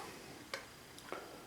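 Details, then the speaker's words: TimeUSB battery charger while charging a battery in a quiet room: a few faint, crisp, irregular ticks come from the charger itself, not the battery; cause unclear. "I happened to hear this noise this ticking sound and I was like what in the world is that noise so it sound like it was coming from the battery what it's coming from is this charger"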